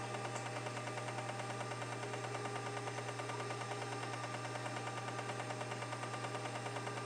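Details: Seagate ST-225 hard drive, possibly 1986, with a burnt circuit board from an overheating chip, powering up: steady motor hum with light regular head-stepping ticks about twice a second, a normal audible seek test; drive otherwise formats and boots fine.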